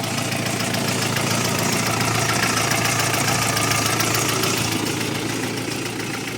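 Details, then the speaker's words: Audi 80 B4 2.0 litre warmed to 90°C idling, oil pressure 1 bar at idle and judged normal when revved to 2000, air lock cleared; steady light tapping about three or four per second over engine hum, quieter than before; owner suspects hydraulic lifters. "Работает она гораздо тише. Сейчас вот реально гидрики постукивают"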